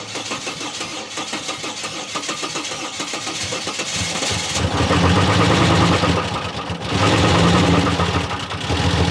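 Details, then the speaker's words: Turbo Territory first start after repairs: engine catches and runs lumpy and uneven, then settles to a steadier idle; rough running because the throttle position sensor was unplugged, idle improves once plugged in. "I was unplugged, that's why I was running like shit, but seems to be idling way better now."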